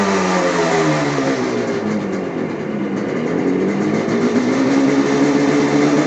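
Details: 1975 Yamaha RD350 two-stroke twin, original miles, points ignition converted to HEI, sticking throttle cable fixed: crisp revs up and settles evenly, no stumble or misfire; ignition firing cleanly on both cylinders.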